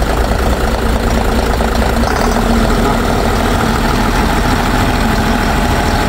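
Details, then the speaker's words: Mitsubishi Fuso Fighter, 6M60 diesel, previously would not start with ECU suspected and no communication; after clearing fault codes it starts and settles into a steady, even idle with deep rumble, no knocks or misses, though many fault codes still show. "Umandar na mga par. Kaso ang daming full code food na lumalabas."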